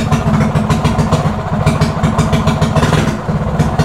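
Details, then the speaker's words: Mini bike with quarter-turn race throttle: fast, busy single-cylinder putter that stays high without throttle; high idle traced to the throttle cable and idle screw, not the carburetor, fixed by turning the screw in. "so the idle was high so I thought it was the idle and a carburetor no it was right here so you need to turn this screw in"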